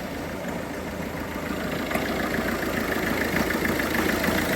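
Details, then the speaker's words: Peugeot 307 HDi diesel filled with petrol, hard to start: idle is uneven, hunting and ragged, with rail pressure fluctuating erratically and one injector correction at -4.82; rough running from fuel contamination. "Not running too well. If you see now, the fuel pressure is fluctuating quite erratically, but it's got considerable amount of fuel pressure to run. It's just not running too well."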